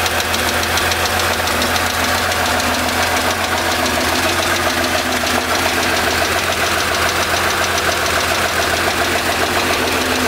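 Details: 1975 Porsche 911 3.0 air-cooled flat-six, cold start, oil level good, 30 psi oil pressure: steady tapping knock, three to four per second, begins after about 30 s, follows rpm, persists when warm; traced to cylinder 5.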